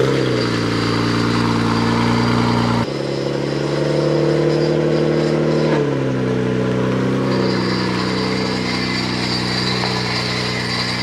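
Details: Nissan R33 GTR after repairing a no-start fault, with the fuel pump now priming: steady, even engine note with a smooth low rumble settling after a brief blip, no knocks or ticks; running normally again.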